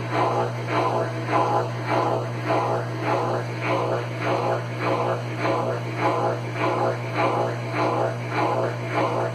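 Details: Consul Facilite CWC10 washer that would not power on, fixed by replacing the power board: a steady low hum with an even swish pulsing about 100 times a minute and no knocking or grinding. A normal, healthy spin.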